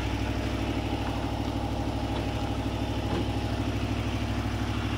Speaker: Still starts up a little too easy. And no smoke, man.